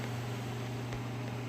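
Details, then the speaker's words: 1976 Miller Thunderbolt AC welder, copper windings, after dielectric grease was applied, recorded on a cell phone: steady, even low hum with no buzzing, rattling or arcing; transformer healthy. "then that sounds great well like the grease does work no fire"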